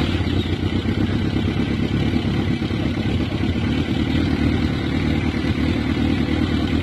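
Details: Kawasaki ZRX400 after carburetor cleaning: steady, even low thrum with a brisk regular beat and no misses or hunting; engine runs smoothly and sounds healthy.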